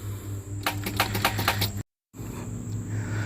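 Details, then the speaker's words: Chevrolet Caprice/Impala B-body with LS V8 swap; the seized starter was freed and refitted but locked up again; about six quick sharp clicks, then no cranking; seized starter needing replacement. "it's hot in here it's sitting a while oh locked right back up"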